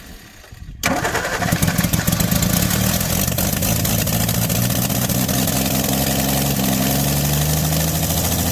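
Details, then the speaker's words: 1961 Ford Falcon Futura parked 20 years; catches after cranking, runs rough then clears as it is revved to burn off unburned gas; flooded engine. "they're flooded like that you kind of gotta rev them and get that unburned gas cleared out of"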